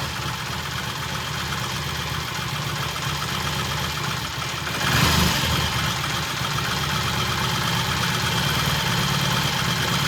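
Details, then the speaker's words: 1968 T100 vintage British twin with a new battery, after throttle cable slack adjustment: steady, even idle with a brief blip near five seconds, then it settles cleanly. Timing exactly on, mixture good. Normal idle. "At this point in time, it starts, runs, idles just beautifully. Timing is exactly on. Mixture's good, idle's good, and it's a nice little bike."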